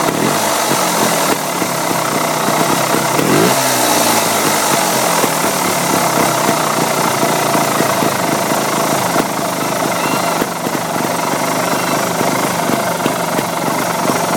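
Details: 2008 Beta Rev 3 two-stroke trials bike at idle: busy idle with rolling, purring burble of uneven rhythm and a couple of blips; owner asks whether the purr is normal; source undetermined.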